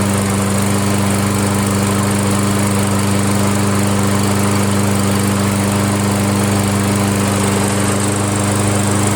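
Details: Toro Wheelhorse 1238XL lawn tractor test run after swapping its slow-cranking starter for a used newer-style one: steady, even high-pitched drone at constant speed with no surging, misfire or hunting; runs smooth and healthy.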